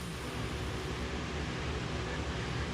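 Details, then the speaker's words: Bachmann Spectrum N-scale SD40-2 locomotive bought used on eBay, grimy, motor tested with transformer power raised through frame contacts: steady even hum and whir, runs smoothly; earlier slight vibration suspected from flywheels pushed off by a mangled frame; commutator had been a problem. "She's humming. Okay. So we're getting power through the frame to the contacts on the engine pretty well."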